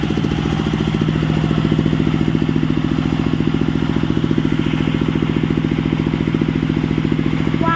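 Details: Sawmill (serkel) engine in a running test after work, electric-started: steady, even thumping, fires cleanly and settles into a smooth, regular run with no knocks or misses.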